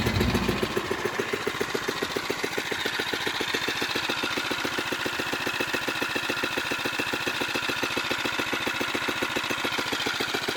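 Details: Phatmoto 79 cc single-cylinder four-stroke Rover engine bike: quick even putter at idle, steady beat, no misses or knocks; healthy, quiet idle.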